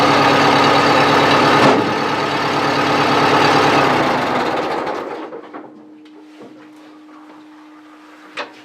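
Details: 1970s Bobcat 610 skid steer after cold start on choke: even, steady chug about three firing pulses a second, no misses or knocks, then winds down and stops; runs healthy.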